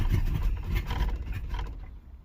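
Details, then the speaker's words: 305 H.O. small-block Chevy, first cold start of the day at 61°F, choke fully open, after one gas pump: rough low rumble catches briefly then dies within two seconds; stalls unless gas pedal held down. "Stalled again. Wants to start. Won't start unless I'm gonna start it, hold my foot down on the gas."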